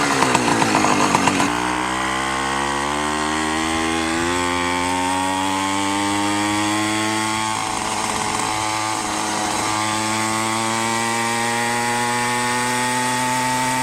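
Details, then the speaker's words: Minarelli two-stroke on a motorized bicycle with a 110 main jet, rehoned and not yet broken in: buzzy, climbs to a high steady rev and holds, slightly soft and blubbery at the very top; still a little rich. "Actually sounds a little fat on the very top still."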